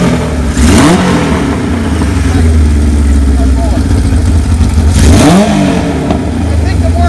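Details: 1978 Kawasaki KZ1000A project bike, possibly original miles, first hot-wired startup with a small gas leak: strong, steady inline-four idle with two clean rev blips rising and falling smoothly, no knocks; normal idle and revving.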